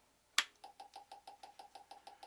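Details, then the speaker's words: GM LS2 (D-580) coil-near-plug ignition coil, first bench test on 12 V across a spark plug gap; spark sounds different and a bit louder than the LS1 coil, possibly from more energy (unsure); crisp, evenly spaced snaps about six per second; strong, consistent spark. "First thing I notice is the sound is a little different of the spark. I don't know why. It may be because it's a little bit more energy."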